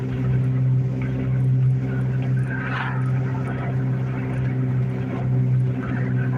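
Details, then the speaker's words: Car driving with a steady low drone under road noise; the owner attributes it to a badly worn wheel bearing, unchecked, and doubts it would make a 120-mile round trip. ">> You guys hear how bad that wheel bearing's gotten on the car. That's why I say I don't think it'd make the 120 mile round trip."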